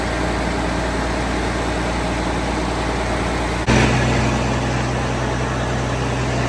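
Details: 12.7 L Detroit Series 60 diesel with PDI performance parts, first start after rebuild: steady, even idle with a brief blip, no misses or knocks. It ran away on first start, possibly from moisture arcing harness pin connectors, now cleaned. Normal idle, great throttle response.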